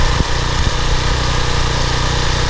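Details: PowerFlow+ pressure washer, Briggs & Stratton 190cc, 3000 psi, after cleaning a clogged carburetor bowl-screw jet and dried gas from over a year of sitting: loud, even single-cylinder thrum at steady speed, no misses; runs healthy.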